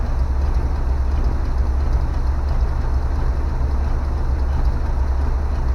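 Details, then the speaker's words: 1970 Chevy C20 dump truck revived after sitting in a field: a deep, steady V8 idle with an even low rumble and no knocks or stumbles; the engine idles fine. "I am looking straight at it and still cannot believe this thing is running after sitting in a goddamn field"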